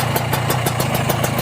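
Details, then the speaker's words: Used Kawasaki Ninja two-stroke with a cold engine: crisp popping about six beats a second with no rattle from the crank bearing, crankshaft or connecting rod; normal idle. "Kita dengerin ah kedengar enggak ada suara ngeleker suara ngeleker itu saat digeber sedikit itu biasanya dari bearing kalau gak dari kruk asnya"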